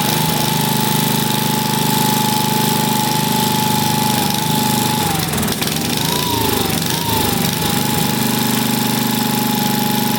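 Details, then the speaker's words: Vintage single-cylinder engine, a free neighbor engine just reassembled with its carb cleaned, pops steadily, then sags and hunts up and down before recovering; the unlinked choke flapping back and forth causes the surging, so it needs a linkage. "all right this choke right here what's it doing is flapping back and forth in there so it's trying to kill itself as it's running so that needs a linkage for sure"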